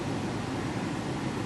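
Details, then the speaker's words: 2007 Mercedes ML350 blower motor retested after repair for a no-blower, no-heat fault, fan clicked up to maximum speed. Steady, even rush of air with no whine, ticking or scraping; blower works properly. "and then you click your fan speed up measure from here this works properly so that's the maximum and"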